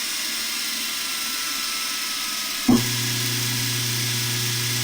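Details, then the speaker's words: 1940 Delta T5074 repulsion induction motor after disassembly, commutator cleaning and reassembly, bench tested: a click, then it comes straight up to speed with a steady hum. The brushes ride the commutator, so a slight noise is expected. Normal running. "oh that's great yeah I like it kicks right up to speed yeah it runs great barely even a little spark when it kicks in smooth makes a little bit of noise but you know the the brush is red on the commutator"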